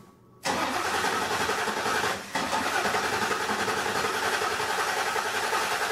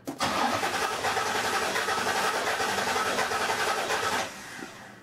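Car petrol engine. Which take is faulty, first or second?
second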